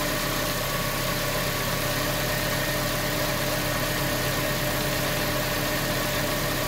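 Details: 2019 Toyota Tacoma 2.7 L, fully cold start after replacing the belt, tensioner and idler pulley for a noisy pulley: steady, even idle with no ticking, squealing or rattle; starts completely normally, noise fixed.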